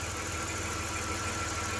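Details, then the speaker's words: 1993 Dodge Grand Caravan LE, 3.3 V6 with new alternator, due for an oil change: steady even idle hum with faint high whine, no misses or knocks; normal idle. "but uh runs pretty good it's got a new alternator in it"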